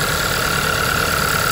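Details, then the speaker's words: 2014 Hyundai Elantra petrol engine idles rough and lumpy with the check engine light flashing for a severe misfire; unplugging coils one at a time points to the cylinder 1 ignition coil. "no change whatsoever our problem is with cylinder number one coil"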